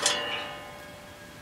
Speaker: it sounds like it stopped completely yeah it stopped completely so I will probably go turn that off